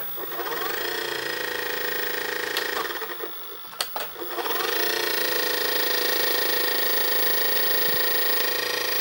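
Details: Panasonic NV-SD430 VCR (Super Drive, Z mechanism): a whirring motor whine with fast ticking chatter, a clunk mid-clip, then a steady whir. The noisy tape transport mechanism sounds rough; the cause is unknown.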